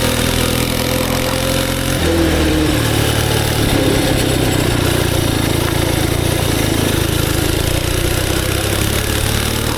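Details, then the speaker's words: Homebuilt mini bike with a twin-cylinder 2A016 engine and 1950s BSA 4-speed transmission, manual clutch, Rascal frame: deep, even chugging like an old tractor, steady firing with no misses or knocks; normal twin-cylinder running. "this might be like the world's first just agricultural sounding minibike it sounds like an old tractor it sounds like a a big inline four"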